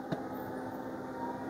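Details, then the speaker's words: Samsung front-load washing machine in test mode, high-speed spin at about 1300–1320 rpm with door locked: quiet, even whir with no knocking, rumble or thumping; drum spins smoothly, normal high-speed spin. "তো দেখেন আমার এইটা কিন্তু অনেক স্পিডে ঘুরতেছে। এইযে অনেক স্পিডে ঘুরতেছে।"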